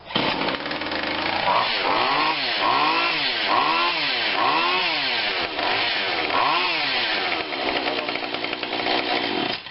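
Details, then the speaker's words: Husqvarna 142 40cc chainsaw, long unrun, first start after spritzing something into it: surges and sags unevenly about four times a second, keeps running only on a lot of choke; rough sputtering start. "okay not sure what happened there it's a little bit of choke choke pulls that out of the way or what i think it gives a little bit of throttle looks like okay that's a lot of choke"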